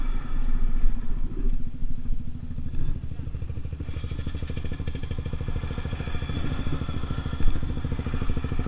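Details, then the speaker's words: Gilera DNA 125 road test after fuel problem fix, 14-stone rider, reaching about 37 and still pulling: small single pulls smoothly with steady even beat rising with speed, no stumbling or cutting out; running healthy under load. "Okay guys, that was a really great test run."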